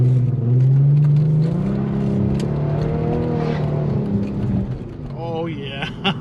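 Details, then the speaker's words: 2010 Dodge Charger 3.5L V6, a few days after timing belt, water pump and thermostat replacement, accelerating: engine note climbs smoothly without rattles, slaps or whine; drives smooth, sounds healthy. "so at this point i've had the timing belt in for a few days now drives smooth drives nice sounds like it's in perfect"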